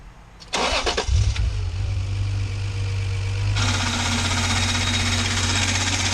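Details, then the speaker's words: Acura NSX after radiator hose repair, belt slipping and rusty: engine cranks and catches, then a steady gritty, raspy whir rides over idle; suspected worn idler pulley bearing or possibly AC compressor. "so no noise probably the ac compressor or the idler you hear the greediness it's like idler's [ __ ]"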